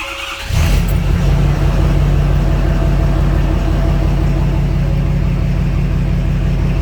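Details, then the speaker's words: 2014 Ford F-350 6.7 Powerstroke diesel, a tow-in no-crank no-start with no communication, started after a fix confirmed by the expected roughly 60 ohms of resistance: brief starter crank, then it catches and settles into a steady, even idle with no misses or knocks; warnings cleared. "Oh, and there she fired up and she's running. The ignition on. No more low oil pressure, engine over temp, any of that stuff."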